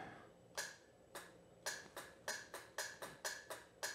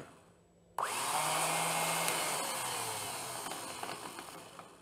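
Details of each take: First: 1982 Honda GL1100 Goldwing, sat unused over 12 years: about ten sharp single clicks over four seconds with no cranking; starter solenoid clicks but starter motor does not turn, brushes to be checked. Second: 1982 Honda GL1100 Goldwing sat 12+ years, starter motor repaired and bench-tested off the bike: two bursts of smooth high whir spinning up fast and coasting down evenly, no grinding; starter turns freely.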